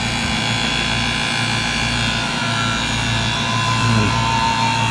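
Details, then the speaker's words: Audi A4 A/C system after compressor install: vacuum pump applied to the manifold with the low side opened; steady even hum whose pitch shifts as it starts pulling negative, running normally with no knocking or strain; everything working as it should. "and you hear the the pump just changed pitch now it's actually sucking into the neck negative there so that's good everything's working as it should"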